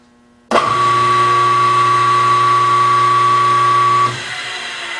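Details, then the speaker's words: Grizzly G4003 lathe motor run with the belts off, after a fix for the racket: a clean, steady hum with no rattle, then a coast-down. It is much quieter; headstock gears were first suspected. "better much much much much better"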